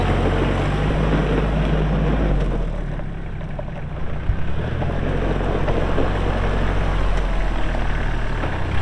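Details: Kubota L3240 4WD tractor, pre-emissions 32 hp diesel, 94 hours, LA514 loader, gear drive. A deep, steady diesel drone shifts with load as the loader works and pulls evenly, no knocks or odd noises; normal running.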